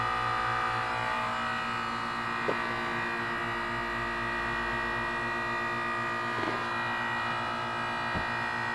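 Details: 12-year-old 2004 Carrier 10 SEER 3-ton heat pump outside a gym, frozen over in cold, humid weather: steady electrical buzz, low hum and a few soft clicks during a normal defrost cycle, switching back to heat mode while steaming.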